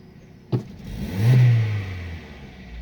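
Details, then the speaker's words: Opel/Vauxhall Astra 1.4 16-valve X14XE petrol with LPG conversion, before warm-up: sudden full-throttle pedal gives hesitation, engine rises slightly, sags and rpm drops instead of revving; gentle throttle is fine; spark plugs to be replaced. "so when we press the accelerator pedal all the way in suddenly like not like a little bit but to the floor you got hesitation it doesn't rev uh it's a bit laggy"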